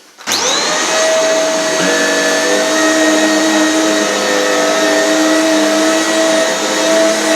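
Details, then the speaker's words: Shark Powered Lift Away vacuum fitted with a newer floor head, compatibility test: motor spins up to a steady, even whine with smooth brush hum; works normally, brush runs slower on hard floor. "The answer, yes, it does, and when you put it on hard floor it goes slower. So yeah, it seems to be fully compatible"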